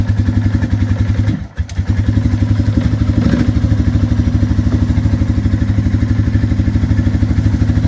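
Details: Suzuki QuadRunner 500 (1998–2002 model years) idling after the hard-start fix: petcock on prime, key on, full choke, throttle pumped six times. Steady, even single-cylinder thump at about three beats a second, no misses: normal idle.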